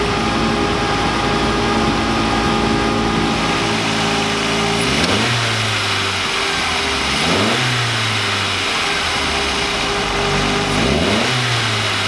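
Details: VW Lupo 1.8T with GT30 turbo after engine damage and rebuild (H-beam rods, new bearings, 2 mm head gasket): clean throttle blips climb smoothly and drop straight back to a steady idle, no misses or knocks; runs very well.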